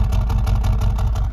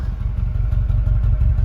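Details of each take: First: 2021 Mercedes-AMG CLA35 4matic turbo idling: deep exhaust note with lumpy pulsing beat that sounds like a misfire, yet no check engine light and nothing felt; likely just the exhaust's character, cause unconfirmed. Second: 2021 Mercedes-AMG CLA35 4matic, 2-liter turbo: deep, lumpy burble pulsing unevenly at idle that sounds like a misfire, but no check engine light and nothing felt; just the loud exhaust note on a healthy engine.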